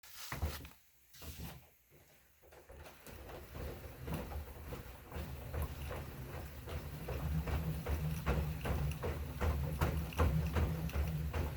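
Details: Assault Runner Elite treadmill: dull creak on every footfall, about 2.5 per second, building as the pace settles; source not pinned down.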